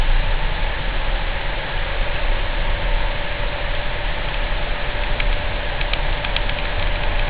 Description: The same 28Hz humming noise as in this video